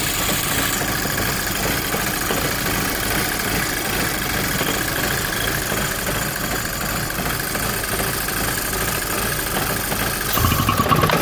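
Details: VW Golf GTI Mk5, cold start: loud, uneven rough idle with ragged unsteady pulse before warming up; cause not confirmed.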